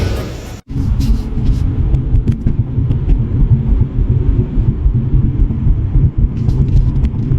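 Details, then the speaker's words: Mercedes-Benz C-Class road test after replacing the worn right-front shock absorber top mount rubber: only steady road rumble, no clucking from the right front; suspension now normal. "现在减震已经恢复正常，上路试车。"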